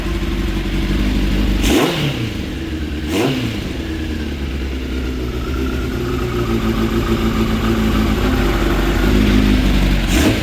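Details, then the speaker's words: 2006 Suzuki GSX 600F Katana, carbureted, with the air/fuel mixture screws too rich: throttle blips puff black smoke and the revs hang around 2,000 rpm before sagging slowly to the 1,200–1,250 rpm idle. "And when I do rev it and the black smoke comes out, the RPMs kind of start hanging around 2000 and slowly goes down to where it's supposed to be at around like 1200 or 1250 plus minus 100, I think the manual says."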